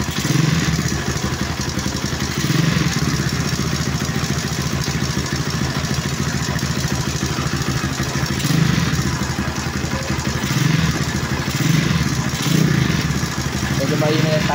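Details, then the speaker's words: Honda Wave 125 S single-cylinder project bike at idle, using Delo Gold oil: fast, even tapping over a steady idle from the valve train, either the timing chain or the rocker arm; it needs a tune-up. "may timing chain o rocker arm yun. Kailangan i-tune up."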